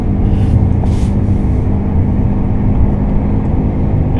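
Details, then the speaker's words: 1997 Toyota Camry XLE, about 176,000 miles, on the highway, mic in back seat: steady low growling drone under road noise from a worn right rear wheel bearing; sound goes away in right turns. "we're going to go out here on the highway and see if you can't hear see if you can't hear the wheel bearing growling at me"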